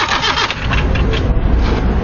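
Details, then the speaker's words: 1993 Nissan Tsuru that starts then dies and won't restart: steady even cranking with spark tester and injector check connected, engine never fires and no fuel pressure at all; crank, no start. "no hay ni presión de combustible señores no hay nada fue absolutamente nada"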